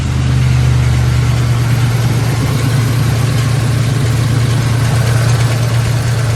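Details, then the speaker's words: 1997 Lincoln Town Car Signature, sat 2 years after timing chain failure, after new spark plugs: steady low idle with uneven lumpy pulse, one side seemingly not firing; one tailpipe hot, other cold, owner suspects that exhaust side blocked, maybe mouse nest. "the tailpipe's hot this one here the tailpipe is cold cold cold so now we're wondering if this side of the exhaust is blocked in there somehow with like a mouse nest or something like that"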